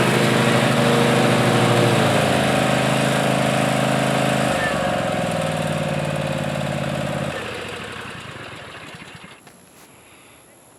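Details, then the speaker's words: 7-year-old Ariens Ikon zero-turn mower, PTO clutch suspected after blades kept cutting out, now believed to be a weak battery: engine holds a steady even drone under cutting load, then winds down smoothly to a stop without stumbling; normal running. "Hey, I didn't know if the PTO was bad. I assumed it was bad because it kept cutting out. But now I think it's just the battery."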